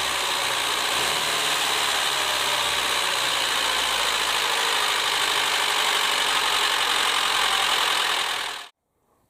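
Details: Lada Niva petrol engine, high mileage and constant idling with likely late oil changes, idling with busy, rattly top-end clatter from worn camshaft lobes and loose rockers; camshaft to be replaced.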